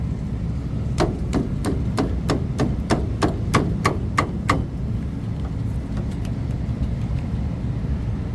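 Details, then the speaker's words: Trane package AC unit, customer reports thumping: about a dozen sharp rapid thumps, roughly three a second, over steady low hum as something starts and stops repeatedly; indoor blower not running, drain plugged, control issue suspected, unconfirmed. "oh we got a plugged up drain that's one thing difference it's like starting and then stopping that's weird"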